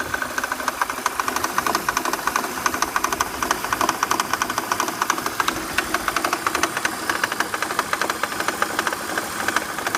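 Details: BMW 323ci engine running: fast, fairly even metallic clatter about three per second at the front, caused by loose power steering pump pulley bolts; fixed by tightening them.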